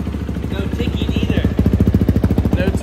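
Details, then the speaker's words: Race-built Kawasaki 450 single-cylinder dirt bike after engine rebuild following a gear failure: even thumping at steady idle, no ticking or knocking, nice and quiet; healthy engine. "no ticking either no ticking time [Music] bomb that think sounds good huh than it did hell yeah it does it sounds really good that thing sick nice and quiet"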